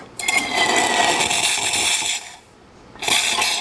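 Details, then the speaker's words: Rancilio Silvia M single-boiler espresso machine after full service, steam mode: purging water from the steam wand, about two seconds of hissing, spitting steam and water, a pause, then another burst, normal steam wand purge. "the first thing you want to do is release any water that's in the steam wand because you don't want that in"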